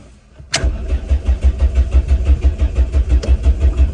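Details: Classic Renault 5, 1.1 litre carbureted engine, being jump started: steady rhythmic starter churning, about three turns a second, without catching; slow, reluctant start.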